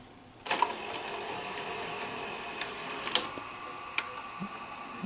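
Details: Sanyo 6800 Betamax VCR first tested after replacing about four capacitors on the circuit board; sharp clunk as it engages, then even light whir with soft clicks: transport runs normally, repair a success.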